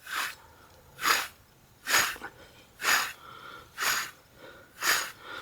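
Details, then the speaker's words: 2008 Dodge Avenger front passenger-side wheel bearing, removed with ABS sensor off and turned by hand, giving gritty rasping bursts about once a second; bad, rough bearing, replaced along with rotors and brake pads. "Bad wheel bearing."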